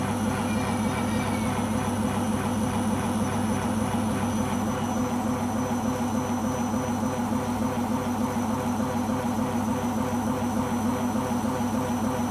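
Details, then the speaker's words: Beko washing machine on its last legs: heavy steady roar with rhythmic surge about every half second during spin; owner suspects the rubber behind the drum, cause unclear. "That was very worrying and I hope it won't do it on the next spin."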